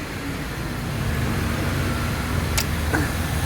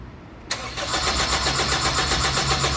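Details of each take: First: 2003 Honda CR-V after its faulty ECU was repaired and refitted, having failed to start even after fuel pump replacement: catches and settles into an even, steady idle with no stumble or misfire. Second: 2003 Honda CR-V no-start: the starter spins the engine with a steady rapid chug but it never fires, even after the fuel pump was replaced; fuel flows at key-on but not while cranking, traced to a faulty ECU.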